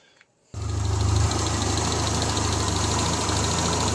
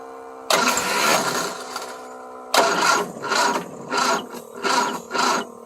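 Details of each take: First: 1975 Triumph Spitfire after smog delete, valve adjustment and a ballast resistor wiring fix, with timing set by ear. Steady idle with a faint, occasional stumble: a slight misfire, suspected to be carburetion, with a carb rebuild pending. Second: 1975 Triumph Spitfire after smog delete, valve adjustment and fixing a reversed ballast resistor: fires instantly, runs strong, clean throttle blips; timing still out.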